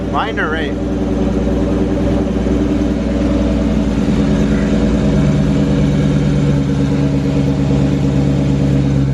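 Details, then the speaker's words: Mustang Mach 1 after dropping the K-member to fix an engine knocking noise, fresh 5W-20 oil, first start after repair: steady even idle with smooth low rumble, no ticking or knocking; knock gone, normal idle. "it's gone right yes yes the only sound I should be hearing so far so good"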